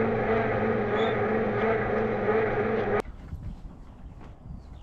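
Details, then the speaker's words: Volvo 245 DL abandoned for 19 years, not run since 2005, oiled beforehand, old belt: starter cranks about three beats a second, slightly uneven, for three seconds, then stops without firing; belt seen jumping and skipping. "so yeah I I thought I saw the the belt jumping and it has it's jumped remember this belt is old"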